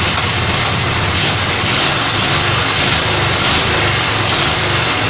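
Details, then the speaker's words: Kohler Command 18 hp twin after rebuild and carburetor work, first start: catches and holds a steady, even drone with no stumbling, knocking or surging; running properly. "oh there we have it it runs"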